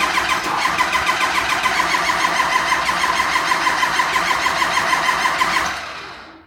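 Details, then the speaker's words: Ford Lariat LE crew cab dually truck, 216,000 miles, full fuel tank, needs two batteries in the cold; jump pack plus a good Napa Legend battery gives quick, even cranking for several seconds but it never fires; owner thinks it just needs juice. "Jump pack to another Napa Legend. I think it just needs juice."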